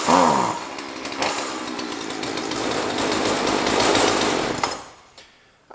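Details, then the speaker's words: Jonsered 2036 Turbo chainsaw, just got running: it screams at steady high revs for about four seconds without stumbling, then cuts off cleanly. It is being left to warm up. Normal running. "would say we've got it I'm gonna let it warm up for a little bit"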